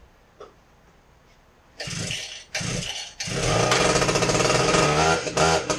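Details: Husqvarna K970 concrete saw test run after ignition module replacement: quiet, then catches on the pulls and settles into a steady, even two-stroke roar with no stumbling; running normally.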